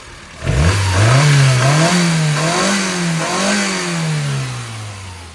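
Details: Metro after tune with recurved distributor, new spark plugs, coil and ram pipe: engine snaps up from idle, pitch rising and falling smoothly through several blips with crisp even pickup, no misfire; normal revving.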